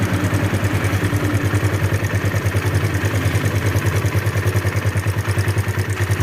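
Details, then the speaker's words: Near-new Kawasaki KLX 150 idling rough with quick metallic clatter on every firing pulse, about three per second; cam chain and valve adjustment to be checked. "ya suaranya seperti itu suaranya kletek-kletek kita akan Cek nanti setelan keteng sama setelan klepnya ya teman-teman ya"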